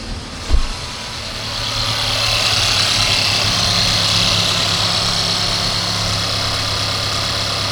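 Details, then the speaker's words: 2016 Mercedes GLC 300 with a weak battery and engine light on, started after moving the ignition lock board into a new housing; engine catches quickly and settles into a smooth, even idle with a soft steady hum, no knocks or misfires. "The engine sounds good."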